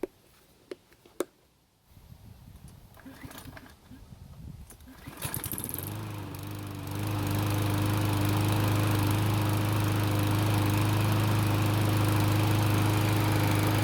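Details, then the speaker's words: Cub Cadet mower after carb cleaning and fresh gasoline (had revved up and down after refueling): catches after a few pulls and settles into smooth, even steady drone without hunting; dirt in the gasoline was the cause. "so it started and ran just like it's supposed to which means the dirt in the gasoline was definitely our problem"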